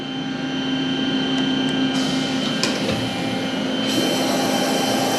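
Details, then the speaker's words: Spindle of a used 1996 Fidal 4020 vertical machining center, commanded M3 at speed 500: a steady hum with a clean whine and no knocking or grinding, running normally. "Oh yeah. It's running. Wow."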